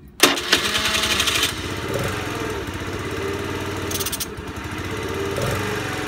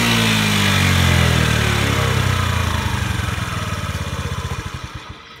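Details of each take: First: Honda Today moped: engine catches and buzzes unevenly, revs flare and sag without climbing cleanly; carbon buildup suspected, engine conditioner being tried. Poor revving. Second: Honda Today moped that would not rev out, treated with engine conditioner for carbon buildup; the little two-stroke revs freely up high, then winds down with even, steady firing pulses slowing to a stop; runs clean and healthy.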